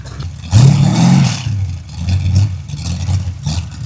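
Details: Freshly built 383 stroker V8 for a 1967 Chevy II Nova, first-ever start on a run stand, full exhaust heard: cranks, catches at once with a loud rev, then settles into an uneven lumpy idle.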